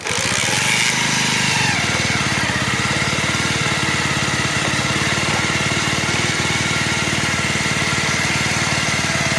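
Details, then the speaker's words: Bajaj Pulsar single-cylinder motorcycle engine, recorded without mic: fast uneven clattering tick over thrashy idle, won't stay running long; worn engine with top-end and timing chain wear. "ఇప్పుడు engine start చేసినా సరే ఇది ఎక్కువసేపు బీట్గా ఉండలేదు. నేను without మైక్లో అయితే మీకు బీటింగ్ అయితే వినిపిస్తున్నాను."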